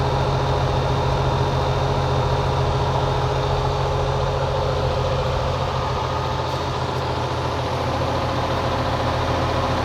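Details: Goodman outdoor condenser fan running with a steady heavy hum and faint fluttering pulse; owner unsure whether it's the blades or the motor; frogs were chopped by the blades, but the blades look undamaged.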